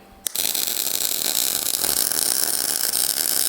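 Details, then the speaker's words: MIG welding heavy wall tube and 3/16 in plate for running boards on a 1956 International COE truck, run hot: steady even crackling sizzle about three seconds, no pops; wire speed and voltage in sync, good weld. "That's a happy little weld bead right there. You could hear that the wire speed and the voltage were in sync. That was a nice sounding and nice looking result."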